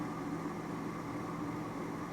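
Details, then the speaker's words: Lab gas furnace with intermittent pressure switch, test on call for heat: pressure switch open and the inducer motor comes on before ignition, quiet steady fan hum with constant mid tone, no rattle or wobble; normal inducer operation. "I got my call for heat. There, the inducer motor comes on. So that switch was open. I'm just going to let it run here just to make sure it fires."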